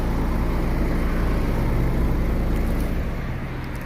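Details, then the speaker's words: Car with 4th-generation propane system idling on petrol: deep, steady exhaust drone with an even pulse, no skips or vibration; on gas it had misfired and shaken. "Benzinga tiniq ishlab boshladi mana. Hech qanaqa vibratsiyasi ishlayapti motor. Tiniq ishlayapti."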